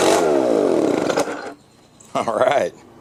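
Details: Old Echo blower after a carburetor hang-up that kept it stuck at high RPM was fixed: it revs up smoothly, drops back, then rises and falls again cleanly without hanging at high speed. The throttle now returns properly.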